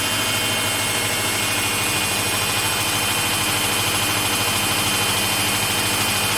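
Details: Samsung front-load washing machine on a cotton wash cycle, spinning; a steady, even rushing whir with no knocks or thumps as the drum spins very fast; normal high-speed spin.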